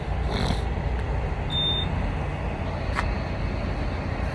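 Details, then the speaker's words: Motorhome carbon monoxide detector parked overnight at a truck stop: single short high-pitched chirp at random intervals over traffic rumble, even with the RV off; unit out of date; end-of-life beep. "I'm wondering if getting old and wore out I may put a new one in here see if I can stop you might can hear it beeping every once in a while"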